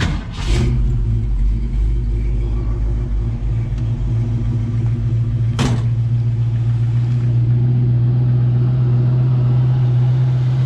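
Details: 1968 Mustang V8 at 93,365 miles with new Flowmaster-style mufflers: brief crank then a deep, steady, even burbling idle; doesn't run hot; healthy normal idle.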